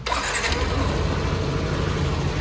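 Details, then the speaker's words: Yamaha NMAX 160, coolant additive added, warmed up well: even, steady idle with smooth low hum, no ticking or rattle; noise gone, normal idle. "O barulhinho ficou bacaninha. Então a gente deixou ele esquentar bastante."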